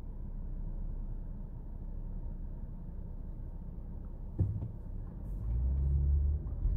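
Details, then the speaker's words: Ford Explorer idling smoothly after throttle body cleaning, heard from inside the cab on a neighborhood test drive: low, steady idle rumble with no hunting or misfire, one brief thump; runs better than before. "all right everything's sounds clean better than it was before"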